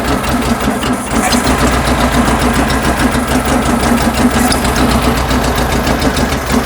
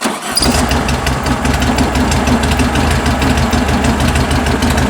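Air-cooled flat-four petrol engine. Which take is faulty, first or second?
first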